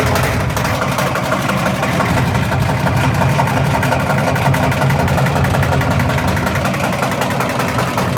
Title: My Washing Machine Making a loud banging noise.